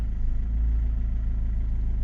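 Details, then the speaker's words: Chrysler PT Cruiser CRD diesel after power steering pump work, steering not held at full lock while system purges: even steady idle, smooth low throb, no whine or groan from the pump; earlier cold-start noise gone, power steering normal. "écoute faut pas aller en butter et là on entend un peu la direction et ça purge ça purge plus vite"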